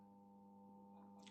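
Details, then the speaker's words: Tube (valve) radio after cleaning, speaker load connected, at first power-on: a steady, low, unchanging buzz-hum from the speaker, no station reception; AC mains hum, fault suspected between power amp and preamp. "们能听到什么？能听到交流声。我把这小音箱往这边点，就能听见了，是不是？那我们从这个音箱中能听到交流声，是不是？"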